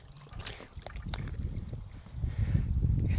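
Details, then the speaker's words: 2000 Honda Shadow ACE 750 coolant flush, filling with about 2 quarts distilled water to the overflow: irregular soft bubbling and gurgling at the filler as trapped air escapes and the level settles; system won't take full amount yet. "It won't take the full amount just yet. We're going to have to let it settle in. You can hear it gurgle as the air escapes."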